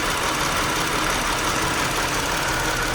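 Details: 2018 Chrysler Pacifica, P0300 multiple cylinder misfire, started after battery died and was replaced: normal idle about 25 seconds, then uneven, chugging rough idle with no clean rhythm; cause not yet clear.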